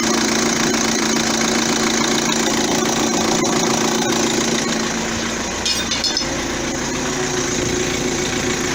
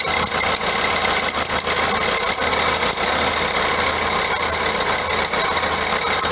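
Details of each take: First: 2009 Vauxhall Astra diesel after alternator and auxiliary belt parts replaced to cure a belt squeak: even idle clatter holding steady, no squeal or chirp from the belt, front end healthy; normal idle. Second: 2009 Vauxhall Astra diesel, complaint squeaky belt and knocking underneath: sharp high chirps at irregular moments over a steady idle; alternator pulley wandering up and down its shaft, chafing the belt's inside edge; idler also suspect.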